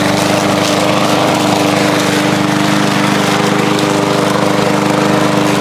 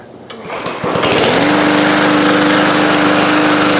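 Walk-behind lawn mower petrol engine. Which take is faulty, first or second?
second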